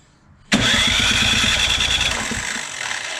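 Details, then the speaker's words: 24-inch Poulan Pro snowblower on electric starter, not trying to start: a high thin whine over uneven chuffs that seems to come from the starter side; noise suspected from the cover, cause not confirmed. "All right. Well, definitely sounds like something with that cover there."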